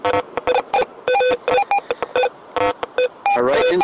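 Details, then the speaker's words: Garrett AT Pro metal detector swept normally at maximum sensitivity over metal-filled ground in Mill Park, Milwaukie, Oregon: constant choppy tones in irregular bursts, no steady signal, masking good targets; noisy chatter from maximum sensitivity. "You hear all that noise? All that noise, and then it's hard to hear the good sound in that. I am maxed out on my sensitivity."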